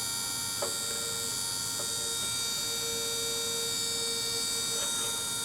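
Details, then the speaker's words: RV stove hood vent fan with a new motor fitted: steady even whir with a few clear tones and light ticking, much quieter than before though a little louder than hoped; normal fan operation. "i am happy with how much quieter it is so that's way better"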